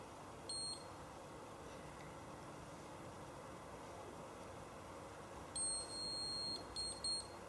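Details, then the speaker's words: Handheld galvanic facial spa device: a few short high beeps over a quiet room, the final beep marking the end of the two-minute treatment cycle. "final bead just indicates that my two-minute are now up and I'm ready to do the second part of the treatment"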